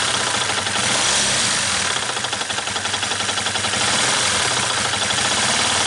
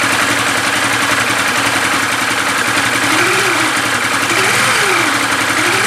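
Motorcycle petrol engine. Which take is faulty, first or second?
first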